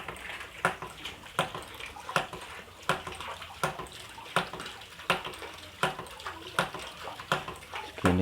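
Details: Hydram (hydraulic ram) water pump, about half-inch, running without electricity or fuel: sharp water-hammer clacks about 80 a minute, fairly regular, over splashing water from the waste valve; pump cycling normally, output flow modest at this head height.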